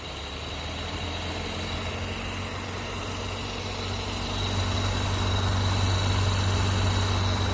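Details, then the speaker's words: VAZ 2112 radiator fan, which had started whistling in heat near 40°C and was rusty from water and engine washing, runs after removal, repair and reassembly: steady even whir over idle, no extraneous noises. Slight play remains in the worn impeller hub. "поскольку нормально все нет посторонних шумов нормальный"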